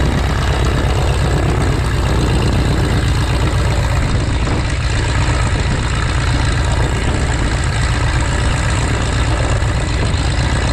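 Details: 1933 Great Lakes biplane, 165 hp Warner Super Scarab seven-cylinder radial, first run in 54 years after restoration: deep, lumpy but even chuff at low idle, about four beats a second, steady throughout; healthy run.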